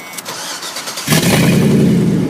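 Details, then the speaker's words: G-body with LS engine swap: brief one-second crank, catches cleanly, settles into a strong steady idle; the swap starts and runs properly. "So there you go, people. It's running. It's great."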